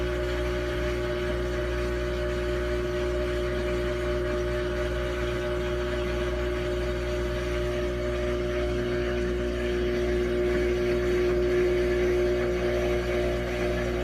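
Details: New Samsung washing machine: loud, constant droning hum with a steady whine on top throughout the run; cause unclear.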